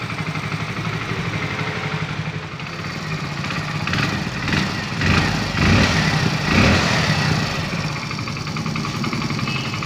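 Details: Hero Splendor BS6 single-cylinder motorcycle, first start after engine refitting: steady even thump at idle with a few smooth throttle blips, no knocks or rattles; normal idle.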